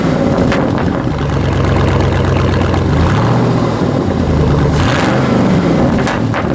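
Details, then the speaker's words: 2006 Chevy Silverado V8, bought with under 80,000 miles, true dual exhaust with catalytic converters only, no mufflers: loud deep burbling idle with steady low rumble and even firing beat, no knocks or misses; healthy. "it's good running truck has a nice shifting transmission no leaks now true dual exhaust catalytic converters only no mufflers no glass packs"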